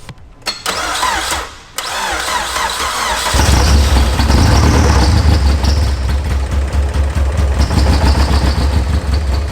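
Catches after a few cranks, then settles into a loud, lumpy, rapid bark from the open header; a healthy idle after first start.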